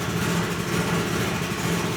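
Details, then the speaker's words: Ferrari 308 GTB-i with swapped turbocharged Honda K24 on Haltech Nexus R5 ECU, first startup after high initial idle was brought down: steady even low rumble, no misses or knocks; normal idle. "It clicks down here in just a moment. And then we get it to drop again to an appropriate idle here."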